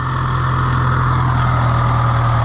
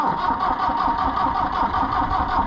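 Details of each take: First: International IH 584 diesel tractor after clearing trash from the fuel line's 90-degree elbow: steady, even diesel clatter at low idle, no stumbles or misses; normal healthy idle. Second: International IH 584 diesel tractor that would not start: long steady cranking, pausing twice, never fires; fuel not primed after clearing the fuel line; crank, no start.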